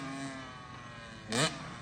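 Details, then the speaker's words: 2004 Kawasaki KX85 two-stroke after a stock-bore top end rebuild: crisp buzz with one clean throttle blip that rises and settles without missing; engine running healthy. "Yeah, thing sounds good now."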